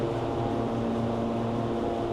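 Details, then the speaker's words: 426 Hemi V8 on a dyno, warm, after a bad piston was replaced, timing about 34°, restarted to check for noises: short even hum with a steady low drone and no lifter ticking or knocking; quiet, normal idle. "okay SC the lifters it's good it's it sounds good yeah it's quiet"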